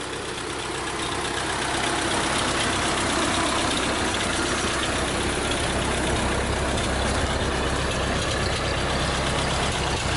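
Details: 1952 Ford 8N tractor, generator charging: steady, smooth idle with a regular beat about four per second, no knocks or misses; healthy engine.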